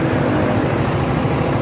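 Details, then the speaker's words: Suzuki Raider 150 single-cylinder after repair for a lagitik (ticking) complaint: bent, scored cam replaced with a black cam, engine still cold. Idles steady and even with a low smooth beat and no top-end ticking; normal idle. "Ayan mga Kula laog Ayos na ang makina ni boss"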